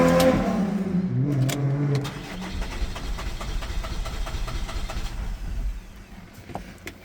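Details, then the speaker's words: Holden Captiva 2.2 diesel that knocked, pinged, died and wouldn't restart after EGR replacement: about two seconds of cranking with faint attempts to fire, dying away after the fuel was pressurised to bleed it. Long crank, no start, air in fuel. "But like I said, I gave it full pressure on this to try to bleed it out. Let's see what happens. It wants to."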